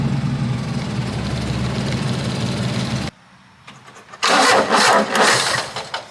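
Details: Carbureted kei mini truck with a long-standing excessive crank/rough start, cranked after letting the fuel pump prime; carb solenoids are being tested. Steady starter churn at about four beats a second for three seconds with no catch, then it cuts out; cause unknown.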